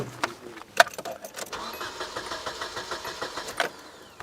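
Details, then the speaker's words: 1996 Nissan Altima KA24DE 2.4L, cranked with nothing connected: quiet, even starter cranking at about four or five turns a second that never fires; crank no-start with no spark. "uh the issue is it doesn't start so I'll just let you guys hear it first"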